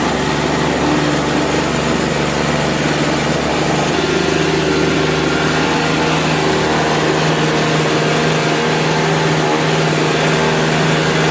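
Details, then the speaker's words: Toro 3.25 hp 16-inch two-stroke snowblower after cleaning the carburetor jet, warmed up: steady even buzz with no surging, hunting or misfires; briefly smoked from exhaust at first start, started on first pull; normal running. "all right once it warmed up it stopped smoking it only smoked for a minute there just coming out the exhaust when i first started it up started on the first pull after cleaning out that jet on the carb"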